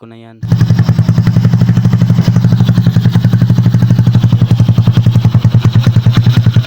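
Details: Honda Bravo 100 single-cylinder motorcycle after removing the noisy starter gear: quick, even thumping with no rattle or whine; running clean and smooth.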